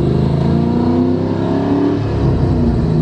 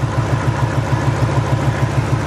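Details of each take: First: Ford 4.6 modular V8 on test drive after replacing spark plugs and ignition coil to fix a misfire: smooth, even pull, revs rising and easing without stumbles or breaking up; engine running clean and strong. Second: Ford 4.6 modular V8 at idle, coil unplugged test: steady idle with a faint regular hitch in the exhaust beat; unplugging cylinder two's coil changes nothing, so cylinder two is misfiring, plug versus coil still to be checked.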